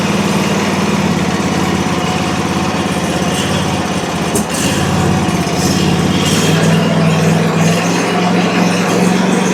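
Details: Country Clipper Challenger 52-inch zero-turn mower that came in locked up and not turning over, low on oil, battery boosted, carb/choke cleaner used; it fires and runs steady and even with a slight pickup, surprisingly sounding normal.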